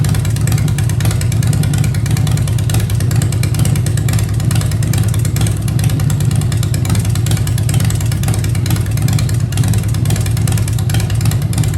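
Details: 2015 Harley-Davidson Breakout with Fuel Moto 110 kit (10.5:1, Level B heads, Woods 777 cams, 55mm throttle body): deep, steady V-twin idle lope without surging or hunting; healthy.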